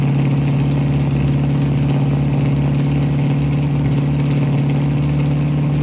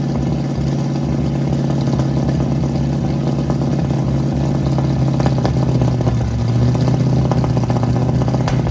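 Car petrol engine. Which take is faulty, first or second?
second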